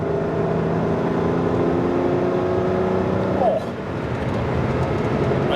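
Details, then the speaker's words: Ferrari 512 BB flat-twelve, still warming up, easing to 2,500–3,000 rpm on light throttle: even, clean, smooth pull with no stumble, after fixing ignition sparks tracking between leads that caused the misfire. "nice smooth pull. Just slow down again so we can go again."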